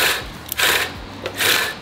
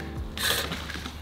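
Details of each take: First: Reel mower after backlapping, cylinder reset slightly looser against the bedknife and now spinning freely; crisp light swishing snips with no scraping or grinding, cutting cleanly, a clean reel cut. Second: Residential reel mower tipped back on a crate, reel hand-turned before backlapping; harsh scraping rasp on each blade pass, heavy contact, reel set too tight against the bedknife, which had been tearing grass blades and leaving a white cast.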